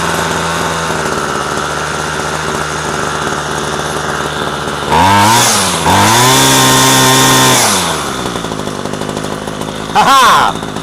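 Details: Homelite string trimmer, salvaged, after fresh fuel, idle adjusted down: even idle, two crisp rev-ups, settles straight back to steady idle without stumbling; normal running.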